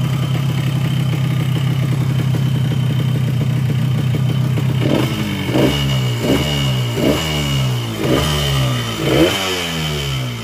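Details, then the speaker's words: Yamaha RX-King two-stroke, block freshly bored a week earlier but still rough: harsh idle, then sharp throttle blips with a rattly knock on each rev; crankshaft connecting rod judged worn, engine to be dismantled. "Ya, dari bunyi seperti ini lahir kruk dengan stang itu sudah kena, karena ini blok baru polter tapi bunyinya masih tetap pada kasar. Stang yang bunyi."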